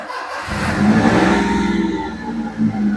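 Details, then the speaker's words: Perodua Viva manual, possibly an 850, with immobilizer, just fitted with a new fuel gauge float (fuel pump sender) for an abnormal fuel gauge reading; starter catches within half a second, rising to a smooth even idle with a slight rev; starts cleanly. "Oke, ini sekarang kereta sudah hidup lah. Kereta sudah hidup."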